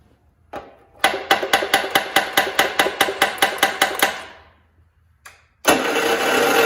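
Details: 1969 John Deere 112 Patio tractor: starter churns the engine in even strokes, about two and a half per second, but it never fires; cranking, no start; owner suspects lost spark from a bad ignition coil, not confirmed.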